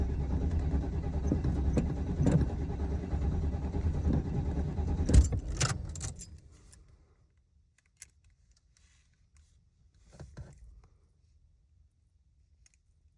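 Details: Warm engine after warm-up: cranks steadily for about six seconds with keys rattling but never catches, then goes quiet; a hot no-start.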